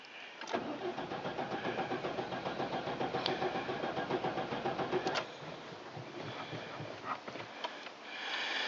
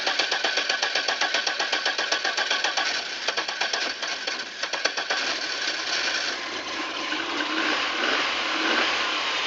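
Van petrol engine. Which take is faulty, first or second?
first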